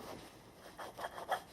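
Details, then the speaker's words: Motorcycle rear sprocket carrier bearings, hand-spun with wheel removed before replacement: dry, gritty rasping in short strokes; bearings rough. "i can probably hear the bearings don't sound too good"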